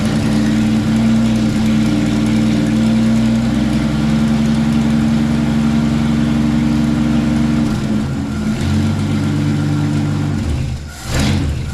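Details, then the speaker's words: 1963 Chevrolet C10 after new carburetor fitted for flooding: steady low rumble at idle with slight uneven lope and brief dip; rough idle, runs but needs adjusting. "a she runs she needs a little adjusting"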